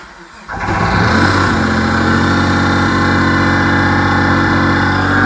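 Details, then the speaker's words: Dodge Stealth with rebuilt 6G72 engine on its first start, settling into a loud, raspy idle with fast chuffing; massive exhaust leak where the pipes meet the turbos, which couldn't be tightened; oil pressure is good. "she's running Oh sounds like massive exhaust leak but I think that is cuz there is a massive exhaust leak I can't get that pipe back they're tight to the turbos but she fired up"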